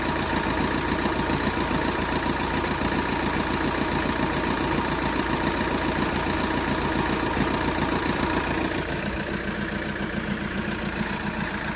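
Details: Steady idle with a rhythmic knock, roughly three and a half per second, locked to engine speed; an internal engine knocking noise, cause unknown.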